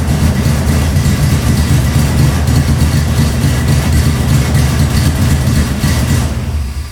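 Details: 1990 Toyota Pickup with swapped 3.4L 5VZ-FE V6, new injectors, first start: heavy lumpy stumbling rumble, running badly rich with fuel puddles and smoke from the exhaust; something suspected of tricking the computer into over-fueling.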